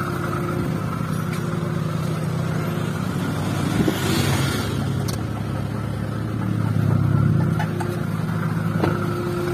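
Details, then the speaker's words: First-generation Honda Brio idling: rough, fluttering low drone and faint steady tone as soon as the AC compressor engages, noise gone with AC off; noise comes from the compressor. Noisy AC compressor. "Saat dinyalakan, AC ini berisik. Jadi, begitulah adanya. Begitu kompresor AC berputar, suaranya akan berisik seperti itu."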